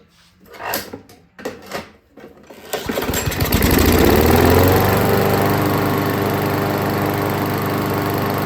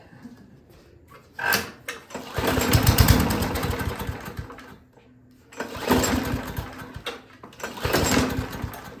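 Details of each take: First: Craftsman lawnmower after reassembly, slightly overfilled oil causing white smoke: a few pulls, then catches and settles into steady even single-cylinder putter; starts and runs fine. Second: Free Craftsman lawnmower with auto choke, grass-caked deck and dirty air filter: four pull-cord bursts of fast chuffing that die and never catch; cranks but won't start, later ran on starting fluid.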